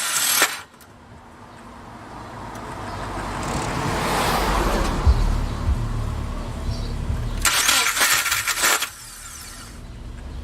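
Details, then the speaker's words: 2007 Subaru Forester with a failed starter, before repair: harsh metallic grinding bursts when the key is turned, with the engine churning between them. The starter is not engaging properly. "So you heard how bad that sounded, right? Okay, the starter's right there."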